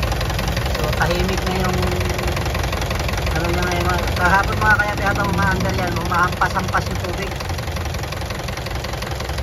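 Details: Isuzu 4BE1 diesel idling after water pump replacement for a coolant leak: usual even clatter, no slapping or splashing underneath; engine sounds steady and healthy.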